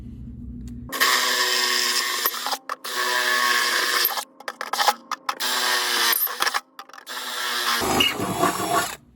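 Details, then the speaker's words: Drilling bracket holes in a 1992 Toyota Hiace for a diesel heater install: repeated bursts of drilling, each with a high, thin squeal as the drill bit squeaks in the hole. "I know that's a bad noise. Squeaky drill bit."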